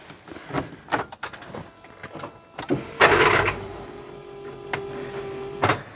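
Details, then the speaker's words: Smart Fortwo 450 Cabriolet, crank and alternator turned by hand with a sticky spot still on the alternator: short clattering crank burst, then steady strained hum with no rotation as the seized alternator locks up again; new alternator possibly needed. "that's not good is it it's just locking up again so what does this mean new alternator"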